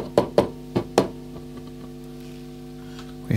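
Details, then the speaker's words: 1959 Ampeg M12 tube amp, brought up slowly on reduced mains voltage, vibrato on: handling knocks, then a steady low buzzing mains hum with oscillation. Filter capacitors are suspected, not confirmed. "okay we've got a few things there to look at so that hum is making me think we're going to check the capacitors"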